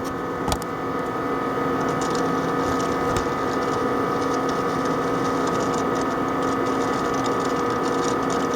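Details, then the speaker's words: Compaq ProLiant ML350 G3 Xeon server from the early 2000s, booting from recovery mode with the camera placed next to the drives: irregular rapid ticking and chatter over a steady high whine, normal drive seeking. "So I'm going to put the camera right here and you're going to be able to hear the drives."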